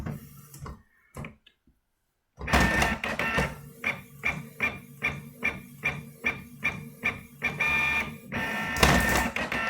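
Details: New Canon inkjet printer, first print after unboxing: even, regular whirring sweeps about twice a second with a light tonal hum as the page feeds through; printing normally.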